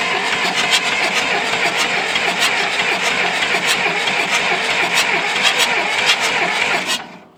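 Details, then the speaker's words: John Deere 2640 diesel tractor that sat for years, cranking after bleeding the fuel line: the starter churns steadily at about three compressions a second for seven seconds and never catches. The injection pump delivers no fuel; earlier it ran only on ether. "And we pulled it off, and it would never build any fuel pressure from the injection pump. And so we hit it with some ether, and it cranked on ether going down the road, but it just still won't pump any fuel out."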